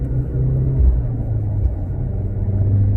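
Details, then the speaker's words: VW Golf R Mk7.5 with quad exhaust, driving in third gear, not in race mode: deep, smooth rumble swelling as the car pulls, no pops, rattles or drone; normal exhaust note. "It's my quad exhaust out the back. Sounds really good. Just naturally."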